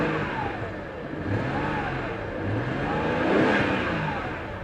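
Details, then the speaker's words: 1991 Lexus LS400; engine revs rise and fall unevenly with a ragged note instead of a clean pull, suddenly running rough; cause not found: rough running engine. "oh it's running like garbage now"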